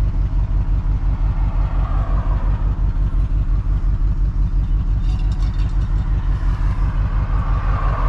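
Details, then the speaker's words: 1987 Ford F150 converted from EFI to carburetor and HEI distributor, motor mount missing two bolts, idling and in gear: lumpy, uneven low pulsing about three beats a second. Runs rough when shifted into gear; owner suspects the transmission, possibly needing a computer. "she's shifting she ain't doing good y'all I mean she's rough as a Dickens"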